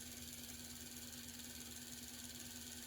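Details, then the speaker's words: HO scale AHM Rivarossi Cab Forward locomotive gearbox after a thrust-washer fix, at normal operating voltage: steady high motor whine, even gear hum, no catches or rattles; running normally. "So, or rare earth metal brushes. All right, here's normal operating."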